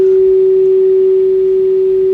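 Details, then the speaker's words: Kenwood TS-430S powered on after 10+ years in storage: clean, steady single tone, loud and clear over a quiet background; receiver audio works properly. "Let's see how far we can get down. Just barely hear the tone still. I can still hear the tone."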